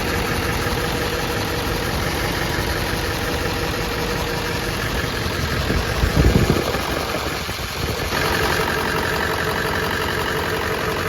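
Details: Ford F-250 Super Duty 7.3L diesel at idle just after an oil cooler rebuild (leaking gaskets replaced) and a coolant refill. Even, settled idle clatter with no stumble or hunting apart from a brief dip; idling normally, no leaks, full pressure.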